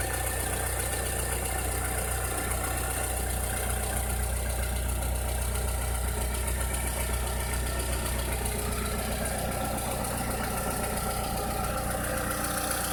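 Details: 2006–2007 VW SpaceFox engine at idle with a strange noise: a faint, uneven knocking of about three a second under the steady low idle; source not pinned down.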